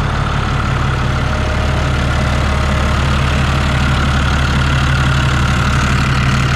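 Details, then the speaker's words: New Holland TB120 diesel tractor just after refitting the rebuilt fuel injection pump and timing it: smooth, even low clatter at steady idle with no misses or hunting; starts perfectly and no longer smokes. "sounds a lot better looks like that was a problem let me go run it around see how it does but it starts perfect it's not smoking like it was"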